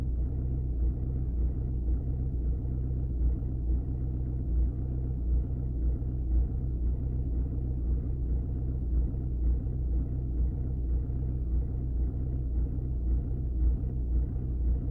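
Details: Audi 2.0 TDI diesel at idle: deep idle with uneven lumpy beat about two pulses a second instead of a smooth rhythm; rough idle.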